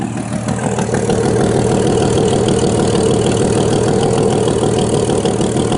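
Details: 1989 Jeep Cherokee 4.0L I6 Renix, AW4: steady idle with rapid uneven puffing chuff over exhaust note; rear of exhaust manifold gasket blown after about 200 miles, failed emissions, before gasket replacement.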